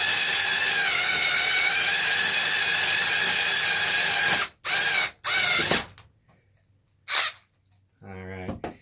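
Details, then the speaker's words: Driver used on a Losi 5T RC car: a high motor whine with rough, rattling gear chatter in each burst of running; the gears are getting stripped out. "the gears are getting stripped out in this thing so yes it sounds like garbage I know I know it doesn't sound good"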